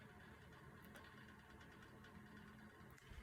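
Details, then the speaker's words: Two circulator pumps on a central boiler hookup running while the house calls for heat at 26 degrees outside: steady low hum with a faint even whir and light clicking. No surging or grinding; normal operation. "I don't know if you can hear that clicking kind of whirring sound. That's my circulator pumps running right now because currently outside it's 26 degrees and my house is calling for heat, and so they're running."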